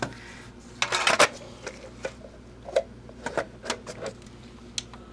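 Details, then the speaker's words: Philips VAD6035/21 Xbox DVD drive after laser adjustment to about 459: irregular soft clicks and whirring, repeated seeking, then gives up; fails to read disc, capacitors in the console suspected. "I'm thinking no our capacitors are failing in this console as well it's trying it didn't give up as easily yeah and now it finally did it"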